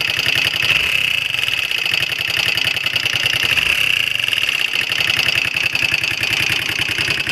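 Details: Honda XL125R single-cylinder at idle: fast, even ticking over the engine with a thin, steady high-pitched ring; abnormal engine noise, cause unclear.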